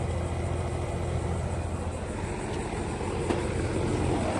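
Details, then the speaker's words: 2007 2.5-ton Trane XR13 heat pump outdoor unit starting up: even compressor hum with steady fan rush, no rattles or knocking; normal running. "So, here is a Train XR13 um heat pump running. See, it's just fired up."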